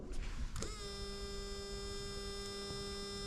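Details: Moped with Airsal CPI 70 kit, battery just refitted, electric water pump switched on; steady electric hum with even pitch and no gurgling or bubbling; normal electric water pump running.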